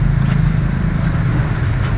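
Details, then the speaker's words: Suzuki Scrum F6A carbureted engine, after carburetor repair for hard start, high rpm and hesitation on acceleration, road test: deep even drone under way, pulling smoothly with no misses or stumbles; healthy engine. "So ngayon po mga kaal narinig naman natin na ang under ng makina ngayon ay relax na y relax na so Ayan po mbo Okay na talaga"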